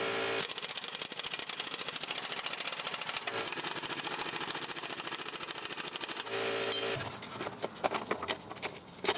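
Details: 2006 Jeep Grand Cherokee 4.7L after exhaust manifold leak repair: the manifold flanges were refastened and broken studs removed. Fast, even, fine ticking at a steady level with no puffing or tapping at the manifold; normal clean idle.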